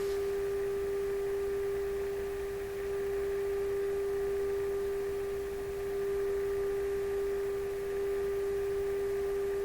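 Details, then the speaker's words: RCA Victor Model 65U radio during IF transformer alignment, signal generator fed, judged by ear without meter: clean steady pure tone with faint even hum, no drift or warble; already aligned, can't get better. "Yeah, it's not going to get any better than that."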